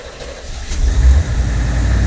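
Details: 1979 C3 Corvette cold start after cold idle speed adjustment: engine catches and swells into a steady, deep fast idle at the appropriate speed, no knocks or misses; owner notes it sounds a little different than before.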